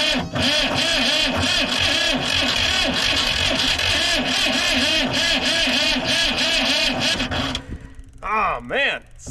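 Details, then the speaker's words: Diesel vibratory roller compactor, sitting 30 years, new starter: long, steady cranking with a rough, uneven chug that never settles into its own idle, then quiet; ether added while cranking; close but won't keep running. "yeah starting to get aggravating here it's really close like it really wants to go"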